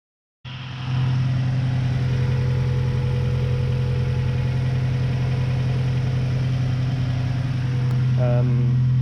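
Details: 1999 Honda Civic EK3 hatchback, D15Z6 engine, after valve clearance adjustment to cure a ticky valve noise: steady, even idle with a smooth low hum and only a soft light tick from the top end; possibly a little quieter than before.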